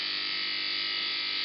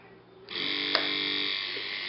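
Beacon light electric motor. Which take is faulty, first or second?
second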